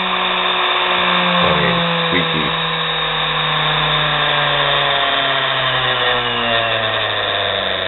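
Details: Nano lathe motor of under 1/4 hp run on its own with the belt removed, speed varied with no rpm reading: steady high whir with a faint scratchy rasp and slow pitch drift; scraping sound inside the motor, cause unclear.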